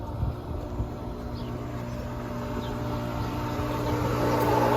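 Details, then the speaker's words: Pool pump at home with Laars pool heater, vacuum showing no suction. Steady motor hum with slowly building rushing noise and no water load; pump running dry. "dry. Uh-oh. Running dry. No good. No bueno."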